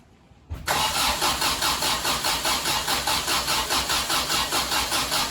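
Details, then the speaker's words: 1974 MGB first start after at least 12 years unassembled and not run, carburetors rebuilt with new parts: steady cranking with firm compression pulses, no start. Compression is confirmed and the fuel pump is running; spark is suspected. "well as you can see we have spark and as you can hear when we turn it over we have compression so therefore we're not getting fuel"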